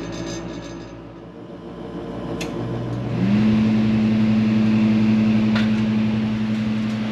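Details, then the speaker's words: Forced-air garage heater after replacing the heat fan: combustion exhaust blower hums, then heat fan spins up to a steady, even, much quieter tone, likely from the new blade pitch; normal operation. "so I don't know if you can hear the difference much quieter it has a different tone even I'm thinking that's the the pitch on those blades"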